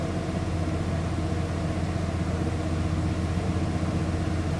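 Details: 1994 Ford F-150 Supercab XLT 4x4, 67,349 original miles, one original owner for 28 years: smooth, deep, steady V8 idle with even rumble, no ticking or knocking; normal idle.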